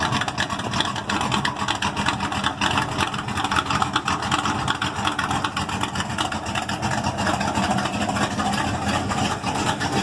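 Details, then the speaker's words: Ford Maverick, 1990s HO block, Ford Racing flat-top pistons, ported Boss 351 heads, 276 Comp hydraulic roller cam, four-barrel, Tremec 5-speed, open pipes: loud choppy idle thump about two and a half lopes a second; healthy big-cam V8. "I know it's a 276 comp hydraulic roller cam. It thumps pretty good."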